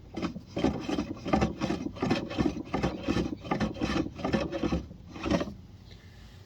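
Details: Four-year-old Maytag washer: harsh rasping grind in rhythmic bursts about every three-quarters of a second, following the agitator strokes; owner suspects the gearbox and plans to replace it and the motor, cause unconfirmed.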